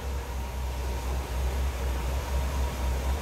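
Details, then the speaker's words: 1975 Cadillac Eldorado Convertible V8 started up: soft, steady low hum with a gentle, even pulse, nothing knocking or ticking, barely audible; starts and runs smoothly with no smoke; normal idle. "I'm going to go ahead and start this up. Like I said, very nice starting running car. Very smooth."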